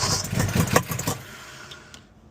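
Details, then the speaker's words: Owner-built Foxbody Mustang V8 after a head, cam and intake job, timing corrected from 180° out: it barely catches, fires unevenly and stumbles, then dies. Compression is low on all cylinders and cylinder eight has none. "So I got it somewhat kind of the start and I don't think I like it. Yeah, that is not sounding good."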